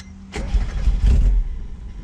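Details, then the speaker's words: Mazda MX5 Miata project car: starter cranks, engine catches about a second then dies regardless of throttle; cause later found as loose intake manifold nuts leaking air. "and it just immediately dies"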